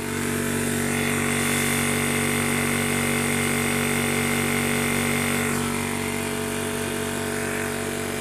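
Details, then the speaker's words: Imported 1300 W PCP high-pressure air compressor filling; loud steady piston chatter about four beats a second over a constant motor hum. A healthy unit is very noisy; normal running under load. "Hai seperti pompa pada umumnya ya untuk suara memang berisik ya sobat ya kalau kompresor yang masih bagus suaranya itu mas sangat berisik sekali"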